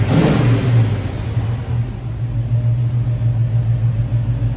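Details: 1969 Pontiac Firebird, Pontiac 400 V8 with Holley Sniper, restarted after TPS reset: deep, steady rumble with a couple of quick throttle blips settling cleanly back to smooth idle; healthy.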